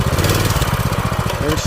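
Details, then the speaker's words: Old scooter ("the big hog") after years of sitting, cold start, choke off and switched to run: small engine's beat speeds up and slows down instead of holding steady, a hunting idle; owner suspects governor, plans to warm it up and adjust. "come on same stuff different day oh no that's a governor or what we got going on here oh that's Governor"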